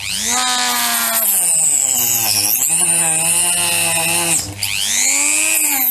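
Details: Parkside PFBS 160 B2 precision drill-grinder with a blade attachment: the high motor whine wavers and sags during the cut with a rough growl underneath, less so with no load; growling vibration during cutting.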